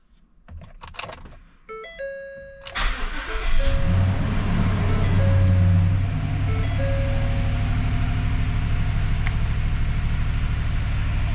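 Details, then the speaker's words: 2015 Ford F-350 6.2 V8 after broken valve spring repair, owner unsure of one rocker shaft bolt torque sequence, cranked: warning chimes, catches quickly, smooth steady idle with no tapping or misfire; sounds normal. "That sounds normal. Let's try it again. I don't hear anything abnormal."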